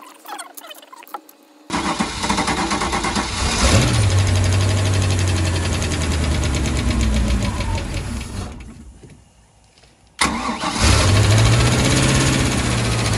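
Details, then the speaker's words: 1996 Bayliner Capri 2050 SS, 305 Chevy V8, sat 14 years, cold start: a rough idle with quick irregular ticking, about three or four a second. Rockers were loose and badly out of adjustment; the idle smoothed after adjusting. "Alright, it's a cold start. And you can hear them. I'm going to do a little redneck tighten. They're loose."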